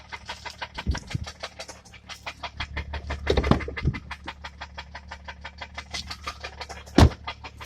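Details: 2011 BMW 335i M-Sport: fast even ticking knock, about five or six per second, over steady engine hum; engine knocking of unknown cause.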